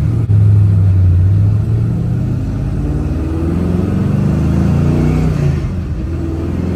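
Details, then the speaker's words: 1970 Chevrolet Nova, GM 572 ci big-block V8, carb retuned, distributor timing locked out, Tremec TKX 5-speed; road-test acceleration: deep V8 pulls cleanly, even steady rise in pitch, no stumble or miss; more responsive, more light-throttle torque than before. "that feels really good it's really responsive yeah the the torque you can tell it a lot more torque when you get on it light throttle than before because that distributor's locked out"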